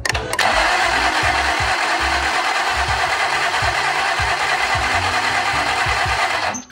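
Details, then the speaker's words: 2010 Ford Taurus 3.5 crank-no-start: starter spins fast and even, about three light beats a second, no catch or firing, cranking too freely; compression test shows no compression on at least one cylinder (possibly cylinder 1 or 2). "so as you can see from that compression test it looks like we have no compression on at least the cylinder one or whatever cylinder this is"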